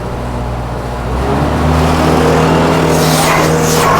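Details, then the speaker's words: Profire dual-wand carpet-cleaning truckmount with a 4-cylinder Kubota engine in a Nissan NV, stepping up from idle through first speed to a higher, steady second-speed drone of engine and vacuum, running normally. "Listen to it real quickly. Here it is, in idle. You can hear the vacuum on it. Now let's move it up to first speed. Let's go to second speed."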